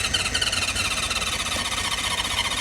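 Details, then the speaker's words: 1976 Honda CB550 chopper parked 48 years, plugs in, carb cleaner sprayed: starter turns the engine over in a weak, uneven chug that never catches; owner says the battery has little charge; slow cranking. "I don't have much juice. Let's try a little bit more. I don't have much juice on this battery."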